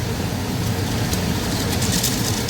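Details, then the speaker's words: Home air conditioner indoor unit after replacing the failed blower motor and wiring a non-polarized capacitor: steady even air rush with low hum, no rubbing, ticking or wobble; new motor turns the correct direction, pulling paper in. "Yeah, that's a good sound. I just wanted to confirm that the motor, the new motor is turning in the correct direction"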